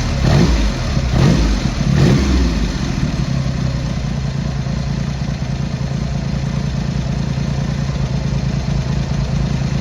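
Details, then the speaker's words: Triumph Hurricane X75 triple, not fully warmed up, after carb rack rebuild, pilot screws richened and left carb adjustment corrected: quick blips then fairly even, deep, steady idle without hunting; running better, slightly rich off idle. "That's better. So we're getting there."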